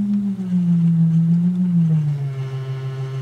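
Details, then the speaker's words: 1964 Leslie speaker from a Conn organ, driven by a modified Squier Champ amp with a frequency generator: a test tone stepping lower picks up a buzzy, rattling vibration at low frequencies, while higher tones sound okay. Something is rattling inside. "can hear some real bad vibration. Let me just slow this down. So something is rattling in there, right at. Lower frequencies."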